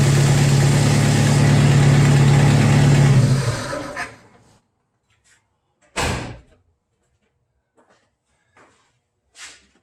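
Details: Jeep Wrangler YJ, TPI fuel-injected, after replacing faulty spark plug (gapped 0.035): petrol engine idling smoothly with steady low hum, then shutting off, followed by a few clunks; normal idle.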